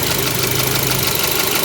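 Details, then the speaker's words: 2022 Mitsubishi Xpander Sport CVT, 4A91 four-cylinder, 105 PS, at idle: light, quick tak-tek tapping runs steadily over the idle; owner thinks this engine is somewhat unhealthy, source unclear. "Kalau kalian ngerasa ini kenapa sih suaranya tak tek tak tek tak tek tak tek tak tek, ya emang unit ini kayaknya emang rada-rada ini ya, untuk mesinnya kayaknya emang rada kurang sehat ini."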